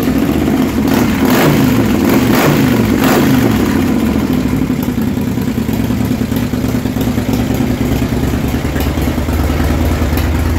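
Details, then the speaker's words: 2006 Harley Super Glide Custom, 124 cubic inch, rebuilt top end, ported heads, startup before tuning and break-in, rubber hose on exhaust: big V-twin lopes, revs strongly and settles, no knock or clatter; healthy after rebuild. "you go Super Glide Custom 124 giving inch with a set of old shot heads and get her tuned next week"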